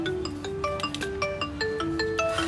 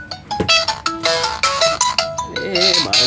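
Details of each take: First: Xiaomi Mi Note 5 with intermittent, fading ringer problem, after the ringer/speaker unit was replaced; clear chiming ringtone, crisp, no buzz, rattle or distortion: normal ringtone playback. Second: Xiaomi Mi Note 5 with fading ringer fault; ringtone harsh and crackly, louder notes breaking into a rattly buzz, ringer judged faulty and then replaced: distorted loudspeaker.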